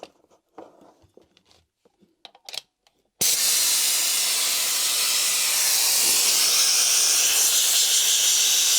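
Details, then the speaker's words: Stanley (later Bostitch) APC 2IN1 pneumatic brad/staple nailer, about 10 years old and once dropped (impact mark, no cracks seen): with the airline connected there is a constant high hiss of air escaping from the head. Air leak, cause not yet found. "But I've just come to use it again now, and all it does is leak air. If we fire an airline into it, you'll hear."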